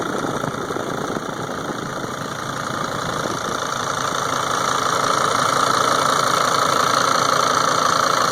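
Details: 2003 Sprinter engine idling: sharp, even tick-knock about three or four times a second over the clatter, louder than normal; cause unclear.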